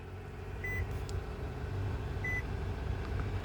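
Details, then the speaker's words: Nissan with a failed ESCL steering lock that prevented starting, started by pressing the lock's micro switches. Quiet, even low engine hum with two short dash chimes; engine now idles steadily. "now we have a fully running car and now i can take my thumb off the micro switches and it will run and drive like normal"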